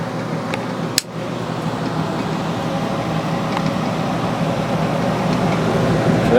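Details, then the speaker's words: Early 1960s squirrel cage blower fan saved from scrap, fitted snugly in a box: smooth, steady air rush that slowly builds, with no rubbing or rattling; pulls strongly and is acceptably quiet. "So that fits in there super snug, just the way I wanted it. That's really not bad at all, sound-wise. I could live with that."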